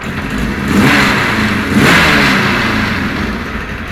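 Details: Cold Kawasaki KZ1000 police bike, choke off, blipped twice: revs rise and fall raggedly with a rough, uneven note. Charging 13.8–14.2 V, ignition wiring cleaned, crankcase vent checked; owner cannot find the cause of the poor running.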